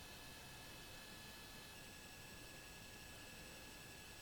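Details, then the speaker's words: Gorf arcade game powered on after piggybacking chip U23 (MC14539B): a constant, even hiss with faint steady whistles from the speaker. This is normal amplifier noise with the volume turned up loud. "now you hear that uh noise in the sound because i got the volume turned up real loud so when it comes on it'll be blasting"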